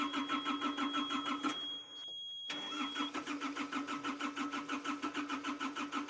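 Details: Hitachi EX55UR excavator that sat a year with a broken boom, on jumper cables, diesel fuel gauge reading barely anything: starter cranks evenly, pauses, cranks again but never fires; crank-no-start, owner suspects low fuel.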